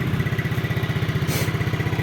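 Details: 2009 Yamaha Mio scooter, kick-started, idling: quick, even low thumping pulses at a steady rate with no misses, knocks or rattles; the engine and CVT sound smooth and the exhaust is not smoky, a normal healthy idle.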